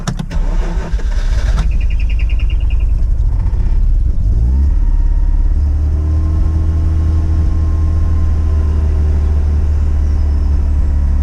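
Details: Mazda RX8 cold start: cranks, misfires and stumbles the first few seconds, then settles to a smooth high idle; once warm, idle hunts with low-rpm misfires. Later fixed: injectors had been incorrectly wired.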